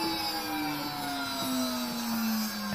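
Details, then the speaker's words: Beko BKS 9537 vacuum cleaner motor whining and slowly dropping in pitch as it coasts down after switch-off, with an uneven rattling clatter; worn motor bearing, shaft has shifted and the ball is out of place. "Çünkü patır patır yapmazsan kahve var ya da da milli kaymış durumda bu top yerinde olmadığı için patır patır yapıyor"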